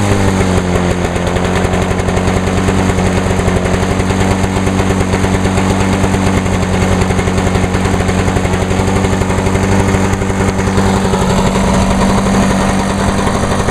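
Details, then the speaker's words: 1986 Lawnboy 8461 commercial mower, 21-inch cast aluminum deck, on choke, after fuel valve was turned on (had been forgotten off): small two-stroke pops at steady even speed, no misses or surging; healthy clean run. "Alright, let's try again. Oh, she fired."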